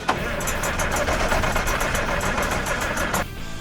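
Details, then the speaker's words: Massey Ferguson 860 combine with a 354 Perkins six-cylinder diesel, started after six years with a primed fuel system and ether: the starter chugs steadily, with a few uneven pops and smoke as it tries to fire, but it doesn't catch here. "that's not in the hole it's trying it's trying really hard did you hear that"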